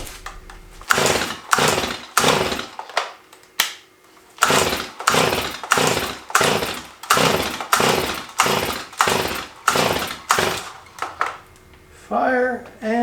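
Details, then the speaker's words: Old chainsaw with a wet spark plug that does spark: repeated pull-cord rips, about one a second, with no firing between pulls. It started after sitting overnight, so the cylinder was probably flooded with too much fuel. "the fact that it fired up after sitting overnight lets us know that our cylinder was probably flooded we just had too much gas in there for that spark plug to ignite"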